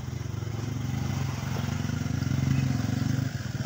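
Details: Refrigerator compressor after repair with a replacement part fitted, test run before pressure check: low steady hum with even pulse about four times a second, no knocking or rattle; owner says it sounds very smooth.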